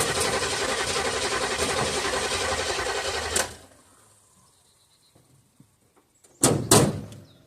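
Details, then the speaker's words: 1976 Olds 455 big block in a 1984 Blazer/Suburban hybrid, sat 155 days: uneven sluggish cranking for about three seconds, turning over slowly without starting; slow cranking, weak battery suspected. "I'm surprised that thing's even cranking over battery's kind of weak sounds like it's about to die"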